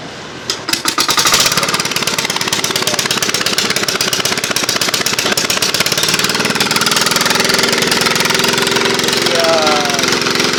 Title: hard starting diesel engine 😍😍😍